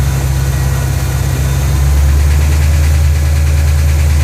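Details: Ford GT500 V8 at normal operating temperature, deep steady idle with a faint quick tick underneath; source not pinned down.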